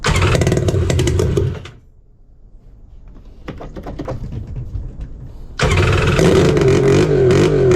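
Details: 1999 Kawasaki 900 STX jet ski two-stroke after top-end piston replacement and starter fix, on trailer without cooling water hooked up: loud, rough bark dips then picks up to a strong steady run; running fine.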